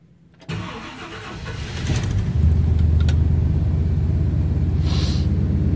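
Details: 1963 Ford Country Sedan, 390 V8 with new Holley Sniper EFI and Fitek fuel system, cold start at about 46°F after sitting overnight, no throttle: brief cranking, then catches and builds to a steady, even fast idle; clean, healthy cold start.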